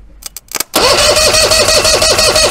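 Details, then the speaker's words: Force 120 hp two-stroke outboard, cranked for compression test; cylinder three about 142 psi, another about 132, top/bottom and middle pairs matching. Clicks then fast, even cranking with no catches; likely good engine. "and we're about 132 thereabouts so it looks to me like that uh forum post is accurate the top and the bottom cylinders seem to match pretty good and the middle two cylinders seem to match pretty good"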